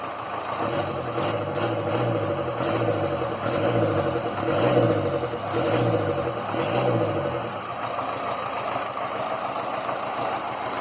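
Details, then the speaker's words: Land Rover Series 2a 88 2.25 diesel, still warming up after first start, close-up of engine: idle swells and dips about once a second with uneven knock; owner suspects one faulty injector, not yet identified; blue smoke was from oil overfill. "But as you can see here with the puffs of grey, one injector is not right. So I'm going to have to test which one it is."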